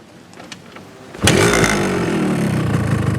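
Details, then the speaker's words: Restored Yamaha RX-King with original stock exhaust: quiet start, then a sharp crackling two-stroke burble steadying into an even, rapid beat; a healthy, factory-quiet exhaust note. "Nah, knalpotnya kita pakein original. Makanya kalau kita jalan di perumahan juga sopan. Kayak baru keluar dari pabrik lah suaranya, jadi nggak mengganggu tetangga."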